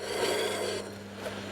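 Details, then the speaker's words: 1967 BSA A65 Thunderbolt during restoration, rear wheel spun by hand while checking rear brake drag: dry rasping scrape that eases off, the drive chain catching its guard; guard needs adjusting for clearance. "Khi thực hiện điều chỉnh này cho phanh sau, để đảm bảo rằng chúng ta không buộc phanh sau của mình, tôi nhận thấy rằng xích đang bắt vào bộ phận bảo vệ."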